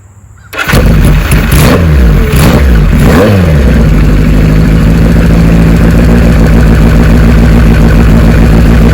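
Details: Restored 1974 Kawasaki Z1 900 with about a hundred miles since the build: the engine fires instantly, takes a few sharp rev blips, then settles into a steady, even idle. Running healthy.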